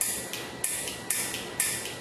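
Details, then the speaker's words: Loud Mouth train horn kit being wired up, horn button pressed to test: sharp crisp clicks about two a second from the solenoid opening and closing, not the push button; normal solenoid clicking, power reaching horns. "You'll hear that clicking noise. That's not from the push button. That's from the solenoid opening and closing. So that means everything's good here."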